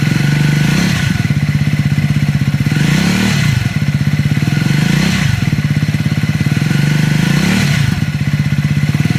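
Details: Triumph Scrambler 400X / Speed 400 single, tagged with recall: steady thumping with harsh mechanical clatter swelling and easing about every two seconds; abnormal engine clatter.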